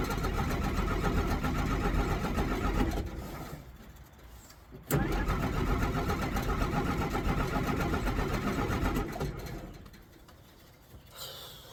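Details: 1963 Jeep Gladiator with a probably weak battery after the key was left in the ignition. The starter churns steadily at about four turns a second, pauses and resumes, never firing. Owner suspects the electric fuel pump or filter.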